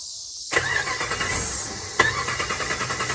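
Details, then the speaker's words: Lifted 2006 Dodge Ram 1500 Mega Cab with a newly installed fuel pump that didn't fix it: the starter cranks steadily at about six beats a second but the engine never fires. Starter fluid is sprayed into the intake; the owner suspects a fuel delivery issue. "You guys can see it's not wanting to start, so I'm gonna spray a little bit of starter fluid into the intake here, and we'll."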